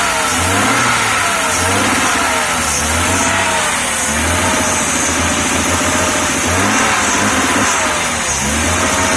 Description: Still has a strange miss because of spark jumping from low tension lead on coil to high tension lead.